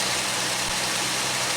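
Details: Pontiac Aztek first start after 8 months sitting in pieces, with a transmission-fluid line leaking at a fitting: steady, even idle under a lot of hiss, with no knocks, misses or surges; normal idle.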